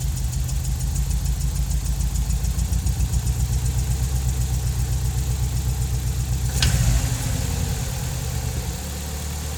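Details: Nissan 200SX engine at idle: loose, uneven patter over the low rumble with one sharp crack partway through; abnormal noise, cause unclear.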